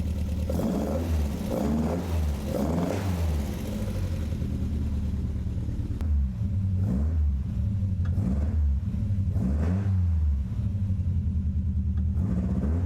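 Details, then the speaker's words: 1967 Triumph Spitfire Mk3 engine on first start, cold day, idling then revved while warming up to check low oil pressure; uneven stumbling beat, a misfire; thermostat already open, coolant leak and a suspected partly blocked radiator noted. "let's warm her up and see what's going to happen to the oil pressure [Music] Miss firing"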